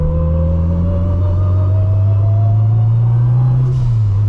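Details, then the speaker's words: Built turbocharged 600 hp Honda Civic Si, in-car while driving: steady tonal whine rising in pitch with road speed over deep engine drone under acceleration, from straight-cut gears. "So yeah, y'all can hear the straight cut gears, huh?"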